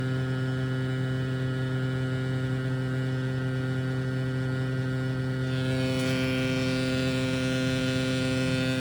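A loud, constant low drone with a buzzy edge stays perfectly steady throughout. The HVAC unit is humming abnormally, cause not yet found.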